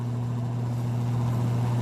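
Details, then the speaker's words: Arno 40cm desk fan, dirty and reported running very slowly: steady low hum with a dull rough undertone as it struggles to turn. The blade seems loose with play. Worn fan motor bushings suspected, heard before cleaning. "eita tá meio esquisito viu o bicho parece que a hélice dele tá meio frouxa tá com uma folga"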